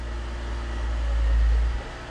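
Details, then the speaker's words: BMW E46 after a DIY manual transmission swap, tested in second gear with the rear wheels turning: a deep, even rumble with no grinding, clunking or whine; normal. "second yeah they're moving pretty awesome"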